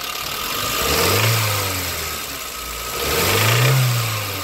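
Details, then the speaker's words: Nissan Sunny E16S engine, warmed up, revved in two short blips: dull knock rising and falling with revs; worn big end bearing, block needs replacing. "yeah that is the big end bear and uh this engine unfortunately is going to have to be removed from this car and the block is going to have to be changed"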